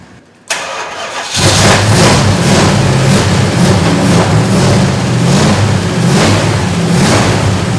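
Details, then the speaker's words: 1970 Plymouth Road Runner 383 V8 on its last run before being pulled. Loping, slightly uneven idle with a few rev swells; the carb sounds like it needs work and the owner suspects a stuck float. "Actually sounds really good. Carb sounds like she needs a little work. And I may have a stuck float there too"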